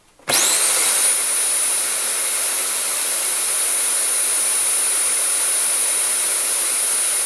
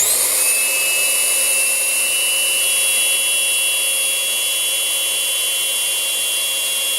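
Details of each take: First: Rowenta Compact Power Cyclonic RO3786EA bagless vacuum, whistling began about 2 months after purchase; with HEPA filter swapped from an identical unit it runs with an even air rush and motor whine, no whistle. Clogged HEPA filter was the cause. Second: Rowenta Compact Power Cyclonic bagless vacuum, about two months old: motor roar with a loud steady high-pitched whistle; swapping filters with an identical unit proved its HEPA filter had lost airflow capacity, needing replacement.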